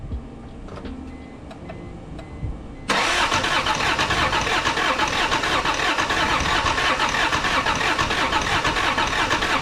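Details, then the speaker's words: Toyota Cressida with 7M-GE engine, 65,000 miles, blown head gasket, new battery, gas poured into intake: quiet clicking then a loud rush as it tries to catch without idling; owner suspects bad or no fuel in tank. "Okay, so I put some gas there in the intake, and you could hear that it wanted to crank a little bit."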